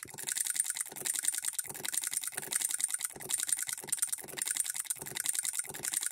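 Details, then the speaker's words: Hand-built Coilmotorworks solenoid hit-and-miss model engine at about half its rated voltage: bursts of sharp ticking clicks in quick clusters about once a second, hitting three or four times before the governor locks out; still hitting and missing. "now it's hitting three or four times there's half of it rated voltage and it's still hitting and missing"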